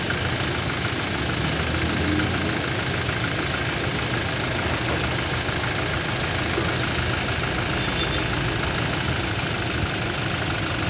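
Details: Toyota Innova idling during mechanical engine diagnosis; steady idle with a busy, rattly undertone suggesting faint internal engine knock.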